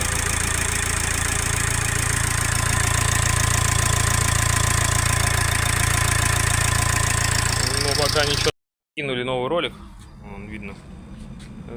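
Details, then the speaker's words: Ford Focus 2 1.8 turbodiesel at idle with engine supported and mount removed: thin constant high whistle over the clatter from the back of the engine, unchanged with accessory belt off or clutch pressed; owner suspects turbo housing or impeller rubbing, unconfirmed. "ничего не поменялось так же всё свистит Ну звук идёт откуда-то вон с задней части двигателя а там у нас что турбина только находится"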